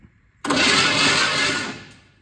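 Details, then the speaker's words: Chevy C10 unrun for over a decade, with a new starter and rebuilt carburetor, cranked by bypassing the broken ignition switch: the starter whirs evenly for about 1.5 seconds with no binding or clunks. The engine turns over freely. "yep it's turning over do it again just a little bit [Music] longer"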